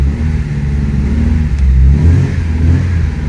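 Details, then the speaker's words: 1986 Porsche 944 Turbo, previously a no-start, now running: deep, smooth engine note rising and settling with light throttle blips, no misfire or knocking. "Вот и всё, машина завелась, ребята."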